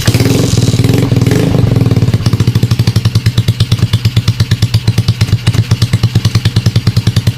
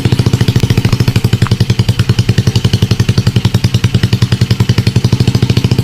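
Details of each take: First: Motorcycle with Smash diaphragm carb converted to piston-type carburetor and NLK open pipe, first start after kick: fast, even open-pipe beat, about three pulses a second, idle speed set somewhat too high, needs lowering. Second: Motorcycle with Smash carb converted to piston-type carburetor and NLK open pipe: low, steady idle with an even, rapid open-pipe popping beat, running fine.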